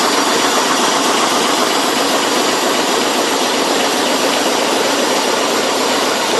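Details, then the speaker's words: Leyland diesel engine in BD-2 Ribble recovery truck, running after many years with chassis, engine, gearbox and front axle refitted: steady, even idle with a soft hissy clatter, no misses or knocks, very little smoke. "starting to let you hear the sound of this engine how beautiful it is back a long long time many years without running"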